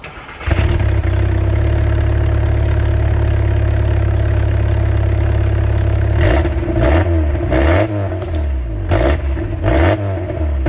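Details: Mk3 Volkswagen Golf with resonator delete: engine catches, settles into a deep steady idle, then several quick blips with a loud boomy exhaust and no knocks; normal revving exhaust note.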